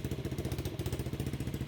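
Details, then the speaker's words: Chinese no-name pit bike with 125cc engine swap, rebuilt with new cylinder and piston, test-running with a newly welded muffler fitted: quick, even single-cylinder putter, evenly spaced and fairly quiet; healthy idle. "Wow. Both of them seem to work. Wow. That's definitely the quietest right there. I think that has a better exhaust note though."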